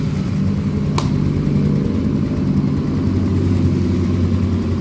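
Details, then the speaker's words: Soul GT 125 motorcycle after engine rebuild (piston damaged again a month after previous rebuild): steady even idle, smooth beat, one brief tap, no knocks or rattles; very smooth like factory, before checking oil flow to the cylinder head. "Oke Alhamdulillah motornya hidup dan perhatikan suara mesinnya ini sangat halus sekali seperti bawaan pabriknya ya"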